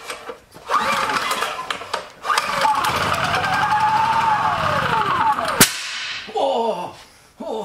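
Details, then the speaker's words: Honda EB3000c generator start test: a couple of pulls, engine runs about three seconds, swells then sags and cuts out; green output light comes on then oil alert immediately; diagnosed as failed inverter. "we know it's it's putting out electricity because the green light came on and then the oil alert came on immediately"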